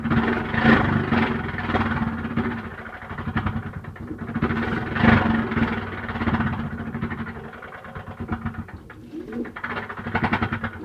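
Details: LG washer noisy on start-up: a steady low hum with repeated groaning, cooing swells that rise and fall every few seconds.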